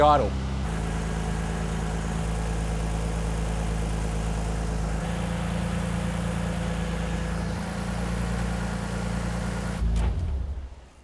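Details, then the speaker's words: 1998 Nissan Skyline R34, automatic, fully warm (temp gauge about halfway): steady idle around 1,500 rpm, still too high, before setting idle at the manifold screw; IACV cleaned for the high-idle issue. "we're idling at about 1,50 which is still probably a little bit higher than we want it so we're going to do the proper procedure now to set that idle"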